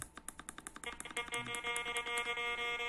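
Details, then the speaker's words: Gold-prospecting metal detector set to discrimination mode 2, discrimination at zero, working by ear: after light tapping, a steady high buzzy threshold tone settles and holds; normal threshold hum, ground balance set manually around 75. "mas fica com uma zoadinha do trissoldi aqui eu vou apertar luz infinita para vocês chegarem melhor pronto aqui ele tem ó esse é esse barulhinho"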